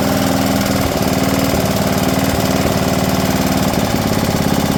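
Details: Briggs & Stratton PowerBuilt 10.5 HP single-cylinder rear-engine rider mower after carburetor replacement and clearing a flooded cylinder: steady, even thumping beat with no misses or surging; normal running.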